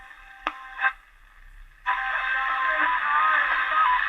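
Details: Fire-damaged German radio after replacing the faulty transformer, whose output had diminished: after a couple of clicks the station comes in clear and steady with no hum or crackle; radio working normally.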